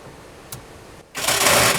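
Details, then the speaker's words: Harsh metallic grinding clatter about a second long when cranking a dead Monte Carlo after battery connected, like starter not meshing; starter or flexplate suspected bad, not confirmed. "Oh. Oh, Jesus. That's not good. No. Our starter is junk. Or our flex plate's junk. One of the two."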